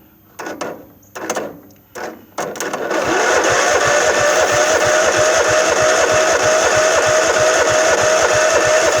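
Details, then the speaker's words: Craftsman LT1000 mower with a 15–15.5 hp Kohler engine and hydro drive, sitting about five years, won't crank by key, so it is spun over directly. Even starter chugging at about three compressions a second with no firing: crank, no start, no spark. "I ain't got no spark all right guys I pull the plug on it and bring it right back"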